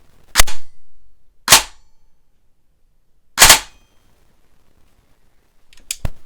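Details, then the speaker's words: Airsoft AEG with DSG gear and bigger spring on 11.1 V 3000 mAh battery, firing semi-auto; super loud sharp cracks, heavy vibration, no clean air puff: piston head not sealing, poor air seal. "well what's going on here is there is a bigger spring in here because it's a dsg and you want to get that fps but if you listen closely it's super loud and when i shoot it it vibrates a ton"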